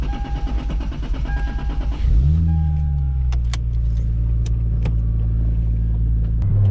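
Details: Turbo Lexus IS300 on quick test drive after retightening couplers at throttle body that had popped off and killed boost: smooth rising note with clean building spool, no boost leak hiss; turbo healthy.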